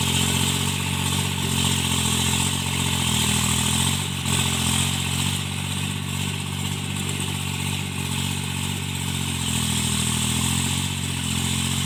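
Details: Tractor diesel cultivating after an engine-knocking repair: steady, even drone with a smooth firing beat and no knock under working load, running normally and healthy after the repair.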